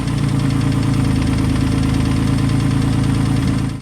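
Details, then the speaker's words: Freshly built engine idling with cold oil: a loud, fast, steady valvetrain ticking knock until shutdown. The owner suspects insufficient oil pressure reaching the heads, possibly VVT-i solenoids; not confirmed. "But it still has that noise. Which I'll put in another clip here from where I had it running in my front yard just kind of sitting there idling with cold oil in it again. Sounds really bad, so you'll hear it."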